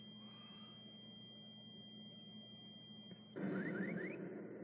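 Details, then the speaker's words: Galaga arcade PCB with a known working CPU board fitted, at power-up: a quiet hum, then a short burst of three rising electronic chirps, the normal boot sound many Galaga boards make. "This board makes a little sound when it uh boots up like a lot of Galagas do."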